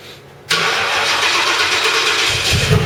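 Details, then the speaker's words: Ford Crown Victoria's first start after full engine rebuild: engine fires and instantly screams toward redline without settling to idle; throttle suspected stuck open, though the other person disputes it is stuck. "well I mean that was that was kind of red line I'm not entirely sure why cuz your throttle stuck open"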